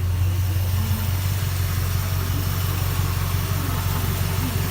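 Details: 1972 Dodge Polara Coupe with a 360 2V V8 and dual exhaust, idling after a bad exhaust manifold leak was fixed and the timing improved. A deep, even burble with no ticking or puffing at the manifolds; normal idle.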